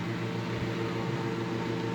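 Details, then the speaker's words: 1940s desk fan with a badly bent blade; steady low motor hum with a constant buzzing drone and a slight rattle as the fan vibrates while running, the owner already knowing it vibrated. "it is vibrating which is not to be unexpected i already knew it vibrated"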